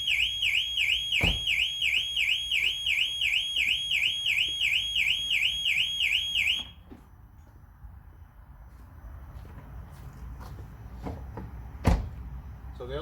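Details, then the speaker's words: Range Rover Evoque with an intermittent central locking fault, driver's door not locking: opening a door sets off the rapid warbling alarm siren, which cycles about three times a second, then cuts off; alarm triggered by unlocked door. "but as you can see from that the alarm still works but the car is not locked what the other two doors are but the driver's door is not locking so there's a fault somewhere"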